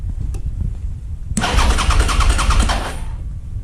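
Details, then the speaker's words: Suzuki SV650 auction bike. The starter spins the engine with a steady chuff about three times a second, but it never catches, and no fuel pump noise is heard at key-on. Crank, no start from a seized fuel pump, later freed. "It's like this, I'm not sure exactly what that is, but the fuel pump, no noise from it, nothing."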